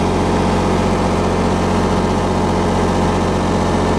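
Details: Miller 400D engine-driven welder, brushes and slip rings checked good, running after reassembly: steady, even engine drone with smooth low hum, no knocks or misses; about 32 volts at idle; normal idle.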